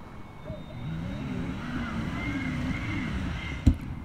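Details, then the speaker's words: DIY inflatable SHERP-style vehicle with electric drive on its first full test drive: steady low drive hum, then a sharp bang as the rivets holding the ball-bearing positioning clamp at the rear right wheel tear off. "it turned out to be the rivets holding the ball bearing positioning clamp in place that got torn off at the rear right wheel"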